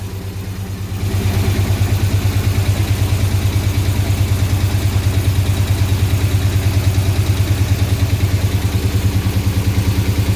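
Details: 2007 6.1 HEMI V8 swap in a 1970 Coronet, first run with no coolant: low lumpy idle with an uneven pulsing beat, about three loping thumps a second; injectors on cylinders 8, 6 and 4 not firing while 1, 2, 3, 5 and 7 fire. Misfire.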